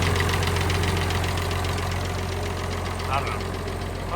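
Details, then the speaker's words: Farmall 1206 diesel tractor started: steady idle clatter with a light, fairly regular tick about three to four per second; engine ticking noise, source unclear. "You can hear that ticking noise somewhere in here. Which is interesting."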